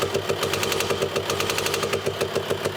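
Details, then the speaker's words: VW Transporter 2.5 PD TDI diesel after camshaft and lifter replacement for very loud cams (mileage stated as 264,000 and as 160,000). Even diesel clatter at steady idle, no top-end tapping. Now sounds normal. "it actually sounds like a normal 2.5 TDI now."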